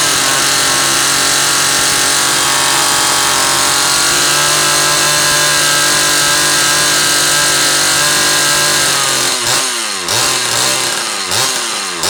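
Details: Zama C2002 carburetor from a McCulloch Pro Mac 800, tested on a 54cc engine with different linkage and no idle screw, so it won't idle; needles turned in about half a turn; steady high buzz for nine seconds, then quick throttle blips; running fine.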